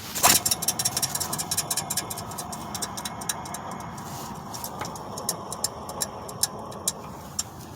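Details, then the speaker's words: 8th-gen Honda Civic Si right after startup: sharp irregular clicks and rattles thinning over idle with gritty grind beneath; water pump removed and ruled out, AC clutch pulley suspected. "grinding that's coming from the ac"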